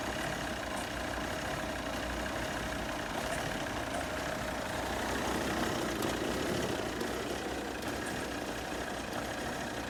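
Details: Cold 2010 Volvo XC90 2.4 D5 diesel (Euro 4 setup, burns oil) idling lumpy and unevenly until warm, often cutting out; EGR and intake cleaned, no codes, injector tests show no fault.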